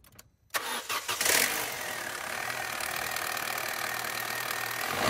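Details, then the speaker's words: Petrol car with a leaking oil pressure sensor cranks, catches and runs ragged with a coarse, lumpy note, misfiring on three of four cylinders; a broken piston ring is suspected, not confirmed. "so there's three out of the four Pistons are misfiring yeah which I don't know why I think it's a um broken piston ring"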